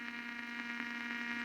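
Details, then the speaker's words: Blaupunkt Arkansas tube radio after tuning capacitor repair, tuned across shortwave: steady low hum under constant hiss, no station; owner suspects a solder short. "it's not picking up anything destroy no way I can hear the hiss it's louder at one end shortwave hiss again your reception I've tuned right across"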